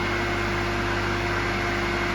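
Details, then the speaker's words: Electric motor (2.2 kW, 3,000 rpm) started on a 220V socket with a capacitor that is removed once it starts: a steady, even low hum with airy fan noise and no knocks or scraping. It is running normally. "Everything, the engine works Here you go The three-thousander started working"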